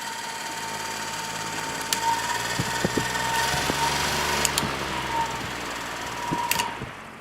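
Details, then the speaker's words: Lakewood HV12 fan, just serviced, running with a steady hum and high whine broken by scratchy ticks and scrapes; something appears to rub the motor rotor, and bearings seem fine since it coasts down slowly. "here it is running again you can hear it making that scraping noise"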